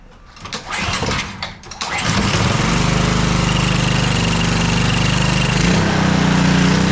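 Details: Brand-new, never-used Honda GCV190 on a Craftsman pressure washer, whose pull cord couldn't be pulled, after the valve cover was removed and the valve train worked on. A few pulls, then it fires and settles into a steady, even run with no knocking. Starts and runs normally, briefly run without water.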